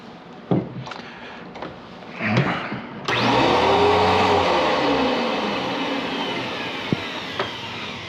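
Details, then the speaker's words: Riccar N2200 vacuum cleaner, Taiwan-made, 1988 or 1998, well used, first power-up on the bench: after a few handling knocks the motor spins up into a smooth, even air rush with steady whine; not loud, running normally. "this machine should not be loud or obnoxious or anything like that"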